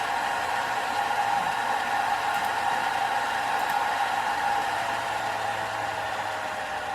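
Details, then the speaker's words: CPU cooler fan at full speed in a Commodore 16x case with Ryzen 7 8700G and Gigabyte A620I AX: loud, steady high-speed whoosh with a fixed whine; excessively loud, though quieter than the A45 fan first installed. "Now it's quite loud at full speed, but that's nothing compared to the A45 fan that we installed in this system first."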